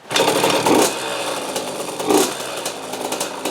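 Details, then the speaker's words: 2003 KTM 50 Mini Adventure 50cc two-stroke, oil-injected but previous owner also premixed, after carb cleaning and fresh gas: short rasping revs bog and die within a second while still smoking. Plug fouled by excess oil. "So, it's definitely bogging, but I noticed that even when I rev it and it dies out, it's still shooting out smoke."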